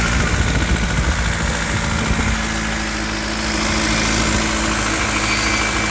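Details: BMW E36 318 with M43 four-cylinder: light fast ticking from 1500 rpm, louder as revs rise, heard from top and underneath; owner unsure whether lifter tick or rod knock.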